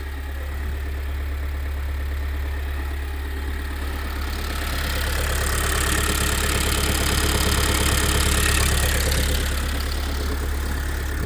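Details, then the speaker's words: 2020–2022 Kia Sorento 2.2 diesel at idle: dull, regular knock from deep in the engine about three a second, first suspected as a connecting rod but traced to a failing dual-mass flywheel; audible from cabin, no error codes. "Он прямо аж с глубины слышно этот глупой стук."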